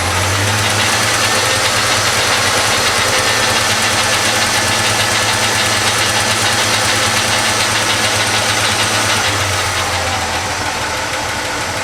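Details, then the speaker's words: 1973–87 Chevrolet C10 V8 idling evenly after full wiring harness replacement, with a quick light ticking about 3.5 per second; owner says rocker arms on cylinder 5 or 6 need adjusting, belts also squeak slightly. "I gotta I know I've got a couple rocker arms that need to be adjusted it's either on the the number five or the number six cylinde"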